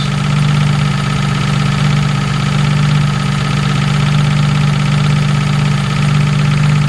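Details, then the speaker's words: Jaguar MKII running, recorded from under the car after reassembly; steady low idle drone with a faint constant higher tone, which the owner suspects is gearbox noise, though the source is unconfirmed. "it's hard to tell where that's coming from that noise it really does sound like the gearbox"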